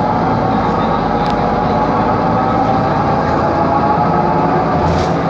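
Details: 2013 Mercedes-Benz Conecto G articulated bus, OM457LA Euro 5 turbo diesel, ZF Ecolife 6-speed, ZF differential, while driving: steady mid-pitched whine over heavy road rumble; noisy faulty differential.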